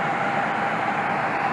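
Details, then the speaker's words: HVAC unit with failed control board, blower motor temporarily wired to get constant 240 V for cooling until a replacement board is fitted: smooth constant airy rush with faint steady hum, no scraping or wobble, normal blower operation. "[Applause] and as you can probably hear we have blower operation"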